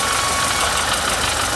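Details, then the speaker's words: Renault Sandero (Logan/Sandero) after clutch and gearbox repair for noise and gears not engaging: steady even idle with the clutch pedal pressed, no bearing whir or grinding; the earlier noise is gone. "Pisa e som. Acabou o ruído. Vamos ver como está o engate de marchas agora."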